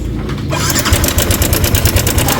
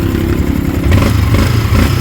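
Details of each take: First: Sniper 155 motorcycle at 19,866 km, running, with fast busy metallic clatter every revolution from the worn stock cam chain tensioner; the mechanic is certain, and it is to be replaced with a manual tensioner. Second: Sniper 155 at 19,866 km, after the cam chain tensioner is fitted and adjusted, revving cleanly with a steady low drone and no chain rattle; quiet again, with the 12mm lock nut to be tightened.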